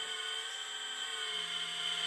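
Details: CSMI VLV360 RC hydraulic excavator: steady high-pitched pump whine with no surging or dropouts while boom and body move, after retracting a cylinder seemed to ease an earlier funny sound blamed on possibly low tank oil; pump running normally.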